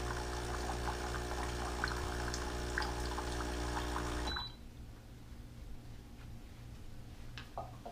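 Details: Keurig Rivo R500 cappuccino and latte system on its first priming run via the espresso lungo button: steady buzzing pump hum with a fast pulse, about four a second, over running water, then clean cut-off; normal priming cycle.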